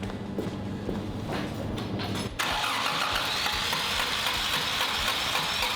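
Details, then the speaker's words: Rare classic car (CRX engine map mentioned) parked in a field six months, bonnet reportedly open, first start: cranking gives way to the engine catching and running unevenly, ragged stumbling idle; runs rough, misfiring, now needs putting back together. "I go as far as saying it runs, but not very well."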